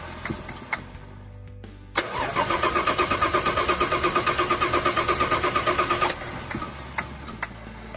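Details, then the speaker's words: 1986 Dodge D150 Royal SE, 225ci six, just-installed new-old-stock carburetor: starter cranks evenly, about three turns a second, for four seconds without catching; fuel starvation from the stuck new needle and seat, fixed by fitting the old one. "alright so we figured out what's going on the carburetor we ended up putting the old needle and seed actually is in this piece right here"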